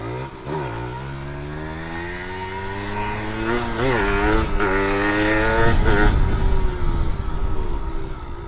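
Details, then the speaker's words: Aging motorcycle revved: harsh, loud rasp as revs climb and fall, mechanical clatter over exhaust note; excessively noisy and down on power, owner suspects the cylinder block is worn or pistons need replacing. "Dia punya blok rasanya macam tak sesuai dah pakai blok ni. Ataupun kena tukar piston ke apa kan. Sebab bunyi dia dah terlalu bising. Power pun dah kurang."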